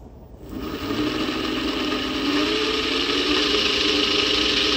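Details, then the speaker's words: 400W three-phase alternator/motor spun on test: smooth steady whir settling into an even hum, no grinding or growl, sounding quieter; bearings later repacked with better grease. "by the way it did sound a little quieter we'll see damn"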